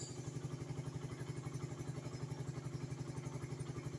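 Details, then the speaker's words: Suzuki Satria FU 150 single-cylinder idling after a valve clearance adjustment to about 0.10–0.15 and 0.20–0.25 mm; steady idle with light regular valve-train clatter and no irregular knocks. Normal idle. "tes suara mesinnya bosku ini SIM kleapnya tadi itu tes suaranya Uh mantap ini udah paling fix ini menurut bangro ini setelan klep ini udah standar pabrik ini"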